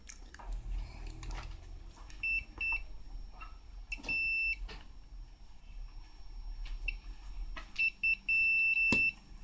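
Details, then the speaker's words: Imitation National/Panasonic pocket radio, speaker checked with a multimeter on continuity before repair: short, clear high-pitched beeps in bursts between handling clicks, showing the speaker coil is intact. "اول حاجه نعملها يا جماعه نتاكد ان السماعه سليمه فنجيب الصفاره نجيب الافوميتر على الصفاره ونشوف نتاكد"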